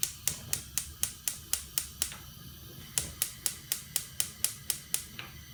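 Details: Candy CLG64SPN gas hob after thermocouple replacement: sharp igniter ticks about twice a second, evenly spaced with a short pause, in a quiet room; sparking normally.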